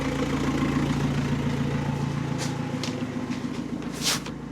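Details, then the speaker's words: Astra after a scrapyard diesel engine swap, first run with no exhaust fitted: the diesel clatters at an even idle with a loud open-exhaust rasp and no knocking heard; normal idle. "It runs. It runs. Finally. Finally. Finally, it's running. And there doesn't seem to be any knocking sound."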